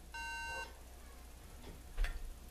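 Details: MacBook Pro fails to boot with repeating three-beep memory fault: clear half-second tone in a quiet room, no video; Control+Power reset for about 4 seconds did not fix it.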